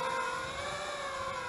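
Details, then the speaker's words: Eachine Wizard X220 quad sitting on the ground: high, steady motor whine as the motors spool up and keep speeding up on their own. This is normal behaviour; it flies fine once in the air. "basically once you get it off the ground in flying it's okay it wants to fly so if it's if you just so it's being weird and you can hear it spooling up but once you get it in the air it's okay"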